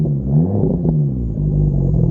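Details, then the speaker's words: MK6 Golf R, big-turbo FSI project car, idling: lumpy, misfiring note that stumbles on light revs, only about -5 vacuum, strong fuel smell. "it is misfiring a little bit it sounds like only negative five of vacuum that doesn't sound right let me give it a couple baby revs see what the misfires are like so"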